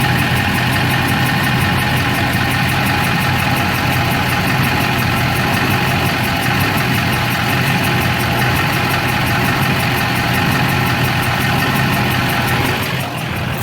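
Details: LB7 Duramax diesel during injector cleaning, smoking less than before, problem on driver's side; lumpy, uneven idle with firing beats out of rhythm from a stuck injector.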